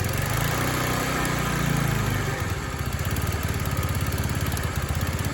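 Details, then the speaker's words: TaoTao 50 Chinese two-stroke scooter revived after being thrown out: burbles unevenly at low speed, rpm sagging and surging, stalls without throttle held; throttle linkage and carburetor still need adjusting. "So like I said, I still got to tinker with the throttle linkage a little bit and get the carburetor dialed in a little bit, but watch this. Got to baby the throttle a little bit because she doesn't want to stay running."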